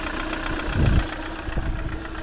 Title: Стук гидрокомпенсаторов приора